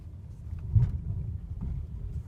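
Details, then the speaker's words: Mercedes W212 driving over bumps after a dash squeak near the windshield was fixed by lifting the plastic trim under the wipers and spraying WD-40: only dull thumps and road rumble, no squeak. "ударов ничего не слышно никакого скрипа"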